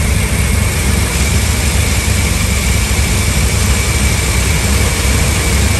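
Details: Ford F-350 5.4 V8 on a cold start with no check engine light: deep idle hunting up and down as if about to stall, then catching; a broken, detached air breather was found as the cause.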